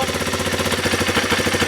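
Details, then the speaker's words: 2020 Kawasaki KLX 230R after fitting a manual idle adjuster screw in place of automatic idle: screw set too far, slow lumpy single-cylinder thumps near stalling, won't idle; idle speed too low. "Yep. So it won't even idle now. I'm going to back it out a little bit. Yeah, it still won't idle."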